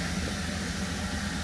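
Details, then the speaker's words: 2017 Holden Commodore SV6 LFX V6 after oil, oil filter and spark plug change: very quiet, smooth faint purr at about 500 rpm idle, no ticks or misses; running beautifully. "But look, the car's running beautifully. You can't even hear it."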